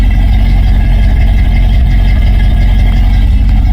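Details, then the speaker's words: 1949 Ford F1 with 302 V8 from a 1973 Bronco, idling after a new electric fan and control module install, temperature rising toward 140: deep, even, throaty rumble at steady idle, no knocks or misses; normal idle. "Throaty, man. Sounds so good."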